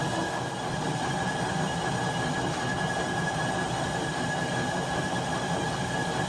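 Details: 1967 Logan lathe model 1875, 3-phase motor on Phase-a-matic static phase converter from single-phase 240 V, first start testing auto-feed: steady motor and gear hum with faint high whine, no knocking or grinding; running normally.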